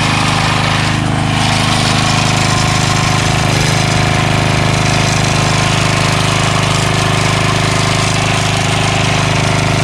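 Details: Craftsman 3HP Tecumseh lawn edger after water-contaminated oil was changed to fresh SAE 30, gas tank cleaned, new carburetor, gas line and air filter fitted; fresh gas with Lucas ethanol stabilizer, single-cylinder runs steady and loud at constant speed, firing evenly, healthy.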